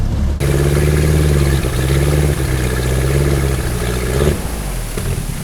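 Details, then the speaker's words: 1974 VIP 15-foot tri-hull runabout with MerCruiser 3.0, new Pertronix coil and distributor module, on the lake at about 2000 rpm: steady drone stumbles and fades with uneven pops, won't get up on plane; idle fine at 900, owner checks timing, cause unconfirmed. "Ooh, popping. Not good. Not good. Not good. Idle's fine. Doesn't seem to want to get up on plane."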